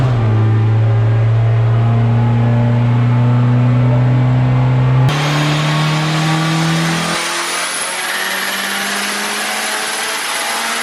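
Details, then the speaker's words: Turbocharged Honda Civic D-series engine on a dyno pull at over 20 psi boost. It pulls hard with a rising drone, and a rapid regular flutter runs under the pull before backing off: turbo compressor surge. "the turbos like surging yeah I got that again"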